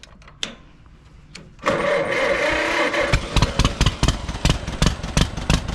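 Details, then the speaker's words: John Deere MT tractor with the coil spark plug wire pulled to get harder spark: cranks, catches, then thumps along at about three and a half uneven beats a second, running on only one cylinder. "goes yes he's just running on one cylinder there one we want up"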